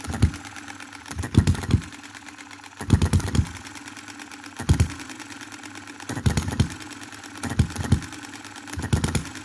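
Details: 2022 Enjomor Chinese hit-and-miss engine after valve timing correction (exhaust opening just before, closing just after exhaust stroke), extra governor weight lead and a small adjustable spring for quicker latching. Sharp firing bursts about every second with quiet coasting, latching cleanly without rev-up; normal hit-and-miss running.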